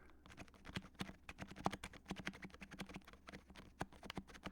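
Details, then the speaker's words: HHKB keyboard with black sliders and number-three silencing rings: rapid irregular taps on the worst key with a faint scratchy squeak on some strokes, likely the slider edges rubbing the barrel depending on press angle. "So, you can tell it was really only on this key, but there are other keys that sound just as bad. Listen again."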